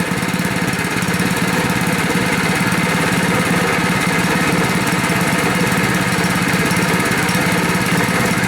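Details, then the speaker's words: Rebuilt Honda 5.5 HP single-cylinder engine after running outside a while at idle: uneven, stumbling beat, missing now and then, starting to hiccup, then dies sooner than the other engine did. Engine hiccuping and stalling. "bit. Oh, that one died a lot faster than the other guy. He kept going and going and going and got halfway across the parking lot."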